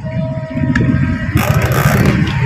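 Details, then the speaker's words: Washing machine that spins slowly and noisily: a deep, uneven rumble with rattling as the drum spins slowly; the technician suspects a worn gearbox as the source of both the noise and the slow spin. "Oo nga mabagal nga at saka maingay mabagal at maingay Malamang titignan natin ang ang gearbox Malamang gearbox okay okay mga guys"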